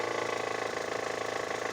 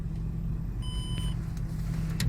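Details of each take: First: Hover H5 petrol (Mitsubishi engine), 109,000 km, 4,000 km after timing belt kit replacement: fast even knocking at idle that grows with revs and fades after 2000 rpm; hydraulic timing belt tensioner found failed, collapsing under hand pressure. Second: Hover H5 petrol (Mitsubishi engine), 109,000 km, knocked 4,000 km after a timing belt kit job; the fault was a weak hydraulic timing belt tensioner. Now a low, steady, near-silent idle with no knock, only light clicks. Engine runs smoothly.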